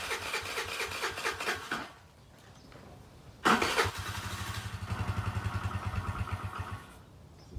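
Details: Chinese 50cc Geely scooter after long storage, carburetors cleaned, fresh fuel, air filter installed; short bursts of cranking with brief sputters, no steady run yet, struggling to start, likely while fuel refills the carburetor.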